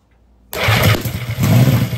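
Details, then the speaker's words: Norton Nemesis 1500cc fuel-injected V8, first bench start after rebuild with fuel added to the inlet ports: fires at once with a low, even burble, runs about 1.5 seconds and dies off; healthy start. "Well, there we go. It burst into life. I am so pleased. That sounds very promising."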